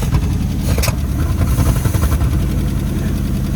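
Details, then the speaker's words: Old GMC squarebody pickup V8 with a broken motor mount, after work to get it running reliably. A steady, even low rumble with no misses, knocks or ticks; it holds a smooth, settled idle, though owner later suspects not all cylinders firing and plugs needed. "running pretty good. Idles right along there."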